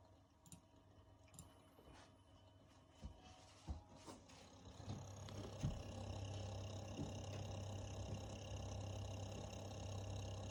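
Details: Brand-new, just-installed Corsair H115i RGB Pro XT AIO liquid cooler: a low pump hum with a buzzy rattle and airy fan hiss rises, holds, then fades.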